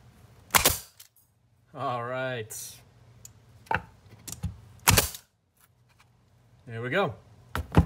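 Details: Porter Cable FN250 finish nailer after trigger valve assembly (64762000) replacement, connected to air and loaded: sharp clean pops a few seconds apart, no hiss from the trigger; fires normally and holds air.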